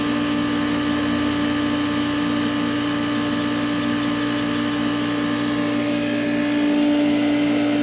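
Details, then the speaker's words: Beer fridge that died again overnight: loud steady hum with a fixed tone and a faint throb about three per second, the unit visibly vibrating. Possibly a bearing, cause unknown; abnormal running noise. "Perhaps a bearing? It's actually vibrating. I don't know if you can see. So there is a vibration."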